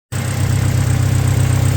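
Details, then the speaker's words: Toyota Tacoma 2.7L idling smoothly and evenly with no misses, hiss or knocking after a vacuum leak was found and fixed. A fuel leak at an injector O-ring still remains. "That is a smooth running engine."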